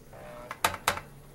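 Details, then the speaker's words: Commodore 1571 disk drive, owned since 1985, after lubricating rails, powered up on a Commodore 128: two sharp mechanical clacks a quarter second apart over faint hum; head knocking against its stop, suspected head crash. "I got a little head crashing going on there."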